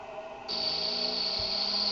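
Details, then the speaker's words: Experimental 3-phase pulse motor with 9 coils on Bedini SSG monopole circuits, phases wired in parallel: thin high steady whine and buzz, coil still buzzing; cause unknown. "See, now this is buzzing, and I have it on the backwards here. This is supposed to go here. It's still buzzing though. I can hear it buzzing."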